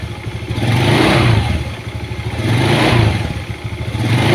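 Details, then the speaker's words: Honda Beat scooter after replacing the worn CVT bearings and pulley bearings that had caused a knocking on throttle. Two smooth rev swells rising and falling cleanly with no knock or rattle; the noise is gone. "Ini udah sembuh ya untuk penyakitnya yang tadi klorok kodok kalau di gas Alhamdulillah udah hilang"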